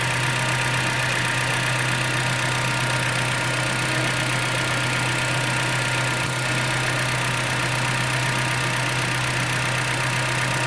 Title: 2010 jeep patriot engine ticking noise